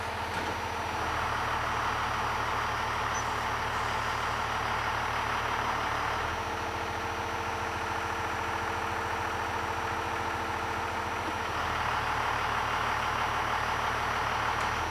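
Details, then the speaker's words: 12-valve Cummins diesel at idle while governor springs are adjusted. Idle is about 850 rpm with no load and sags to about 650 rpm under load, with an audible pitch drop before recovering. Idle speed drops under load. "quick I'm gonna say that's 850 with no load and about 650 with a load"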